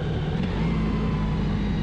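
Engine note jumps and holds high with a strained, busy drone, then cuts off; revs forced up by dropping into too low a gear.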